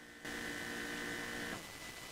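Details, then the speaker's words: Mazda BT-50 diesel after fuel filter replacement, cycling ignition: even electric hum just over a second then clean cutoff; fuel pump priming normally, no leaks seen. "Okay, sounds like it just turned off then. Let's cycle the ignition. I can't see any leaks up the front. It still seems to be priming the fuel"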